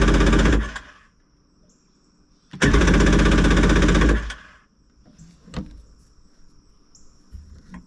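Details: 1994 Yamaha WaveRunner III jet ski, after replacing the starter and pumping out old gas: two short bursts of rapid firing, about four a second, each dying within seconds; hard starting, won't keep running; owner suspects bad gas, carb may need replacing.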